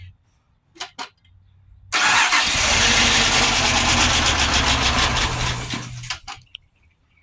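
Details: Abandoned Pontiac Grand Prix GXP, first start-up attempt, five gallons fresh 91 added, new fuel pump not yet fitted: starter churns steadily about four seconds at a regular beat without catching; extended cranking, hard start. Owner suspects low fuel.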